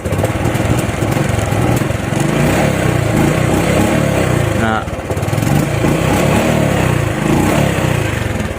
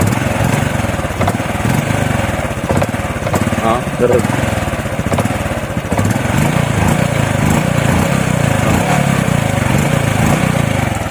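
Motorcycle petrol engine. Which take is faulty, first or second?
second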